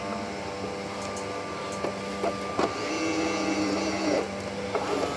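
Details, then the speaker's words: Bambu Lab X1 Carbon AMS feeder, customer unit that stopped loading: on pulling and reinserting filament the feeder motor whirs and clicks as it grabs, draws filament in and backs it out, loading normally as expected. "but it should grab once I pull the filament out and load it in. should grab it. It pulls it in and pulls it back out."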